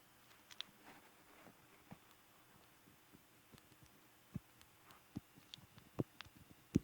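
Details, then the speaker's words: 120VAC synchronous motor driving Cutty Sark ship motion display gearbox: soft uneven clicking as the ring clutch slips instead of turning with the motor, caused by too much gear strain. "that's that slipping that's what's making the click and sound that's supposed to turn with it"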